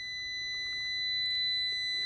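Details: Multimeter continuity beep with decade box at zero, reading about 1.4 ohms through the test leads: clean, continuous high-pitched steady tone; this meter's beep threshold later found at 60 ohms.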